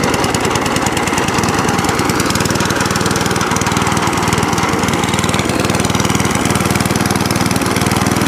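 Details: Cylinder mower after new cylinder gear and pulley tensioner, drive cable refitted: quick, steady small-engine beat at an even pace, no misses or knocks; drives and cylinder cuts in, running cleanly.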